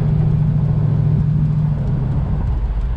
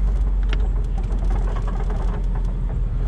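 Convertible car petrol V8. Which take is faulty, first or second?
second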